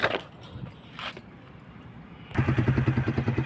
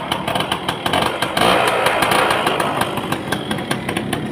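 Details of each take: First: Kawasaki KSR: a few weak turnover attempts and pauses on a weak battery, possibly also low on fuel, then it catches into a quick, even thump of about ten firings a second. Slow to start, cause unconfirmed. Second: 1990s Yamaha Belle (likely SL), probably 100cc with a hand clutch, some parts missing but the engine judged good: after a brief rev it ticks over at a steady pulse of about three beats a second, sounding normal.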